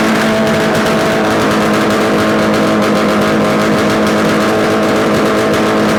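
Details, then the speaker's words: Yamaha RD250 two-stroke twin, bench-mounted on a stand with total-loss ignition, run after swapping the coil wires: crisp, even buzz at a steady fast idle, both cylinders firing cleanly; no mysterious noises, likely a good engine. "so everything uh as I can tell right now it's running okay it's not making any mysterious noises so it's more likely a good engine"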